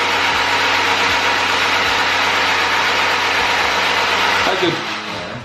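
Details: Honda Civic Type R four-cylinder, sat on a farm over a year: steady even starter cranking near three beats a second, no skipped strokes; engine turns over cleanly with good compression. Normal cranking.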